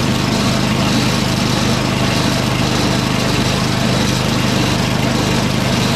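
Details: Small single-cylinder snowblower engine, run with auger and drive disengaged and choke at half: settles into a steady, even chug with no misses or surging. Normal unloaded running.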